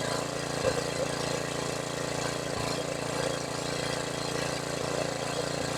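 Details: $100 used generator, long sitting, with a rebuilt carburetor and a fuel leak: small engine holds a steady, even drone at constant speed without hunting or surging; it runs normally.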